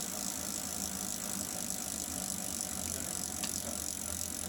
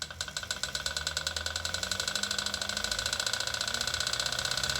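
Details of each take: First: Wahoo KICKR Snap trainer, bought December 2018, developed clicking after about a week of use. With the roller pulled off the rear wheel, the bicycle drivetrain spins with a soft, steady whir, almost silent and healthy. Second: Wahoo KICKR Snap bike trainer, bought December 2018, began making noise after a little over a week of use: a steady tire hiss and whir with a light repeating click. The drivetrain is almost silent with the back wheel off the roller.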